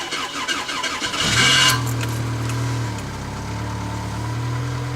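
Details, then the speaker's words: 1994 Pontiac Sunbird LE, first start of the day after sitting all night at about 14 degrees: sluggish, labored crank for about a second, then it catches, flares and settles to a steady idle; finding: slow cold crank. "of course the car hasn't been moved it's at all night just first start of the day uh-huh slow crank"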